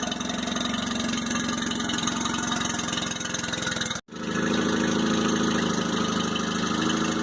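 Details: 2002 Mercury 15hp four-stroke outboard, first start after storage and a lower-unit fluid change, run on earmuffs in neutral with choke while warming up: a steady, even idle with a smooth rapid beat and no knocks or misses. Healthy, normal idle.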